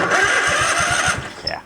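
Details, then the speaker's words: Craftsman riding tractor engine cranking: steady starter chugging about eight beats a second with no firing at all; no spark, the ignition coil is dead, likely from an internal windings fault, and is to be replaced. "that coil is gone so we're going to go pop that sucker off of there"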